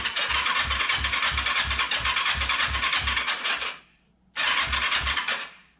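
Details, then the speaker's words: Kawasaki Ninja 500 that cranks but won't start (title says spark and compression present) after fuel was added; the tank leaks and the fuel line curls oddly. The starter whirs with even compression pulses about three a second, pauses, cranks again, never catching. "It's not making any attempt to start."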